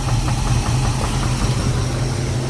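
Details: 1988 Chevy Caprice, 350 engine with 650 cfm Holley carburetor, transmission only has 1st gear: low, slow idle turned all the way down with a faint regular tapping over the rumble, knock felt through the valve cover; source not yet pinned down.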